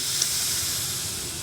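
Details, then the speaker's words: Air helper bag install on a 2019-up GMC Sierra/Chevrolet Silverado. A short, steady, high-pitched hiss as the bag pressure bleeds back off. First suspected at the fill cap, the leak was found at the T-fitting where the bumper line joins. "It's coming right. It's bleeding right back off. Let me see if I can find It. Sounds like it's actually sounds like it's in this cap here."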